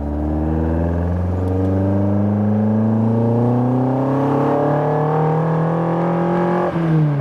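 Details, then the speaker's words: Fiat 131 Mirafiori Abarth with newly fitted twin Weber carburetors, on its first road drive after years asleep: clean rising engine note pulls smoothly through the revs with no knocks or misses; healthy under acceleration, though handling felt wobbly. "oh please i love the gearbox and i love the noise"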